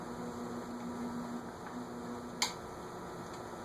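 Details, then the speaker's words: Envirofan Gold Line industrial ceiling fan, model 160F-7, circa 2013, on a solid-state speed control: quiet, steady electrical hum with no rubbing or clicking, louder than a previous fan but a normal amount of solid-state hum. "It's definitely louder than the other one was without it. The other one you couldn't even hear the hum, and this one you hear it. But it's a normal amount of solid state hum."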